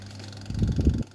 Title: Samsung oven rattling noise NV7B42205AK (brand new oven)